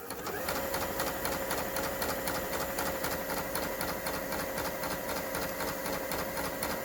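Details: Kenmore 385-19550 sewing machine after maintenance service and repair of wrong pattern stitches and uncontrollable speed (twisted part left shaft sitting wrong, now fixed); speed adjustment screw centered. Quick even clatter, about four stitches a second, steady, no knocks or grinding; runs healthy.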